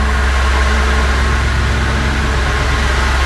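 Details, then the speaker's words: Audi S4 B7 V8 first start in 15 months after rebuild with new external oil cooler, brief run while checking oil level: deep, even idle with steady rumble, no ticks or misses; running smooth and healthy. "my God, it's running so well. Smooth as hell."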